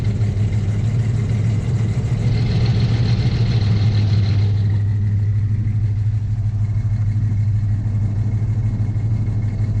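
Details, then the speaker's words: 1979 Chevy K10 cold start below freezing with the hood open: rough, uneven idle pulse about three beats a second with a brief lift mid-clip as the cold engine loads up at idle. "now of course i got the hood open so there's a little bit more vibration there clear it out because it's loading"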